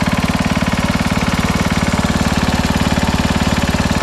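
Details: 1968 Sears Suburban 12 hp tractor, Tecumseh single-cylinder after 55 years mowing: hard, even thump about three beats a second with a clattery edge; tired worn engine running rough, to be swapped out temporarily.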